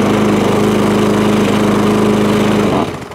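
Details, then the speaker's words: Old MTD lawn mower, single-cylinder, running fast: loose, tinny rattle over the engine beat, then dying away; loose covers rattling, crank not bent, due a service. "don't run too bad it just sounds like an absolute bag of nails all the covers all loose it's not got a bent crank or nothing like that"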